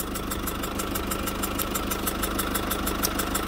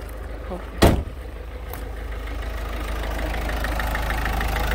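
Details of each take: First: Citroën C4 Picasso 1.6 HDi 110 diesel, cold engine idling, sharp even ticking about three per second over the idle, compression escaping past leaking injector seals; burnt diesel smell can enter cabin; injector seal compression leak. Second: Citroën C4 Picasso 1.6 HDi 110 diesel after injector seal work: a single thump, then a steady low rumble that settles without misses or knocks; idle stabilized and running normally.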